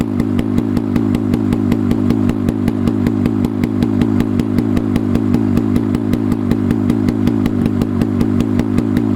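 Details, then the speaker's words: Rusty 440 Hirth snowmobile two-stroke for a 1972 Snowjet, run on a stand outdoors with no exhaust pipe and a swapped-in carb; open-port crackles with sharp, fairly steady firing pulses at fast idle, running cleanly on its own. "Fucking hell. She's done. She runs."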